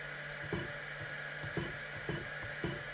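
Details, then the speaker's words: Longer Ray 5 diode laser (GRBL, web UI) jogging in 0.1 mm fine steps: soft stepper clicks about once a second over a steady fan hum, each small step ticking cleanly; normal motor operation. "So if you're jogging the laser and you want some fine adjustment, now you can just hear the steppers clicking because it's only moving 0.1 mil, 1"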